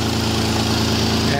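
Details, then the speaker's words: Toyota Land Cruiser idling after mismatched alternator belts were replaced: steady, even idle with a smooth low hum and no whine or squeal; the belt drive is healthy and the annoying whining is gone. "stupid annoying whining noises gone I should have done a long time"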